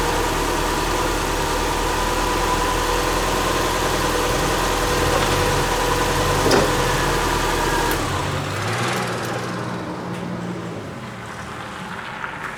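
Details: Subaru Forester with freshly reinstalled EJ25 flat-four, first fire-up after install, valves not adjusted, warming up and learning idle: even pulse about three beats a second, settling quieter after eight seconds, no knock; normal idle.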